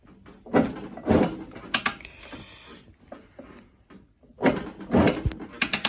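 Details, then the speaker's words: 1978 Yamaha YZ400E motocross bike being kick-started: uneven gritty, ratcheting graunchy grinding with each kick; rattly engine, owner suggests top end work, a piston and almost certainly the little end. "So I'm going to be honest, the engine is a little bit rattly. So you can hear it. You can hear it when you're kicking it over."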